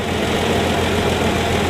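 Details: 1965 Plymouth Valiant 170 slant six, after stalling (missing heat riser boiling the carb) was fixed with junkyard exhaust manifold with heat riser valve, junkyard intake manifold and new-old-stock carburetor: even idle, steady low rumble, no stumbling, running right.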